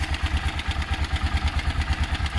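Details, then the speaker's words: BMW F650 Funduro after cleaning the coil wire, fired straight up: even, steady thumping idle at roughly eight beats a second, no misses or clatter; normal idle. "so I cleaned the the wire on this coil I forgot to do it and it actually fired straight up it was cake obviously that you can hear - goodbye got lovely tones here"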